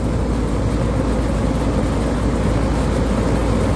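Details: 2018 Lennox AC condenser not cooling well in the hottest part of the day, fan motor already replaced once: a loud, steady low roar with a rattly rumble and no speed change; the frame is shaking, cause suspected, not confirmed.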